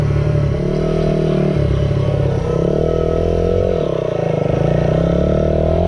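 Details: Restored 1978 Honda XR75, last run around 1989, ridden after a misset adjustment was corrected per the manual: the small single revs up and down cleanly, pulling evenly with no misfire or stumble; normal running.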